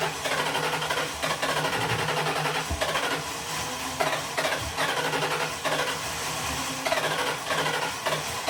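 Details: Cab-swapped 2003 Grand Marquis (Crown Vic) V8 running again after three years of sitting, with old gas and an air cleaner added: a steady, even repeating beat with no knocks or misses. Normal running.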